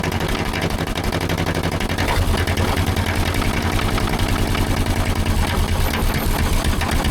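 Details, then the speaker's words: Gasoline pony starting engine of a 1940s Caterpillar D8 dozer unmoved for decades, running on old gas already in its tank: fast, slightly ragged chattering beat under busy rattle, running on its own. "I can't believe it. It's running off of gasoline that was already in that pony tank."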